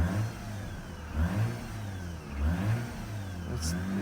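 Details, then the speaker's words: Mazda RX-8 rotary started cold after a no-start, flooded from long cranking; uneven roughly once-a-second rev swells with stumbling as it works the fuel out, smoke expected to clear. Flooded engine clearing. "So, this is pretty much uh it's been flooded with me spinning so much. So, it needs to work this um fuel out of it."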